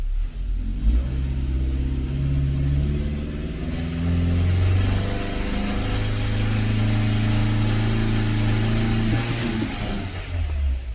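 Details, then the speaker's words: Hesitation on acceleration in a 2001 Toyota Corolla, not drivable after a recent tune-up, engine cool: revs climb unevenly and fall on their face on throttle; O2 sensor reads low (0.1–0.2 V), lean condition, MAF reading high, dirty MAF sensor suspected. "Right, when I step on the X, you see that it's falling on his face."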